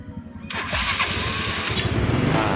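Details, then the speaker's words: Yamaha Mio 4-stroke scooter with hard electric starting caused by too-tight intake valve clearance, after readjusting the valve gap to 0.8 and raising the carburetor idle: brief starter whir, starts at once and idles steadily. "Well, just adjust the idle part of the carburetor , let's make it bigger for this gas setting. it's much more stable and we 'll"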